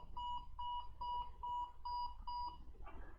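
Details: HP ProDesk with 5 long red and 7 short white flashes/beeps, RAM reseated in another slot without change: even, clipped quarter-second beeps in a quiet room. Diagnosed as a cracked PCH chipset; the board cannot be repaired.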